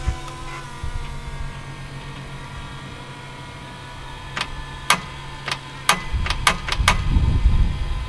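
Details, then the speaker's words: Thai longtail diesel racing boat engine, after months in storage, oil added and fuel pressure present: sharp uneven starter clicks with no cranking at 13.42 volts; owner suspects the engine may be locked up. "Hopefully she's not locked up. I hear the starter clicking."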